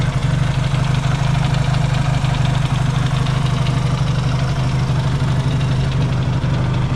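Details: Yamaha XS650 twin, engine just reinstalled after fixing its oil-burning problem, warm-up idle with points not yet properly adjusted: deep, steady, even thump, no misses or knocks; no longer smoking, idling healthily.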